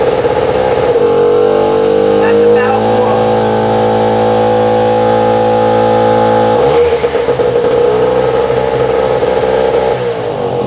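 High buzzy two-stroke note that settles to a steady speed, with one brief dip in pitch; the generator is running unloaded and sounds fine.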